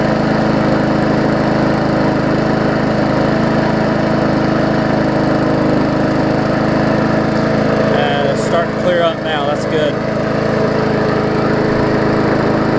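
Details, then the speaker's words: Murray 3.5hp Classic push mower after extensive service, first test run: steady, even small-engine drone holding one speed, brief handling rustle midway; only a little oil in the muffler; running smoothly and healthy. "it's a little bit of oil the muffler is all it was"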